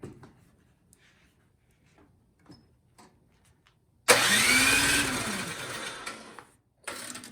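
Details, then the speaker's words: Troy-Bilt snowblower no-start: one pull of about 2.5 s spins the engine over but it never fires. The tank has gas and there is spark, so a dirty carburetor is suspected. "and we got spark so i suspect it's something carburetor related"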